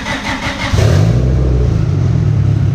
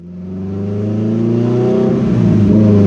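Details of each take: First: Built turbocharged EG Civic with GSR engine on the dyno, running rich: engine holds at one high speed with fast, choppy stutter as the two-step launch limiter cuts in. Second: Built EG Civic GSR with SheepyBuilt turbo kit and rebuilt Precision 6266 turbo, on the dyno, at 10 psi (368 wheel hp, 241 torque), running rich: revs climb slowly and the tone rises smoothly, but boost builds late; wastegate leak makes spool lazy.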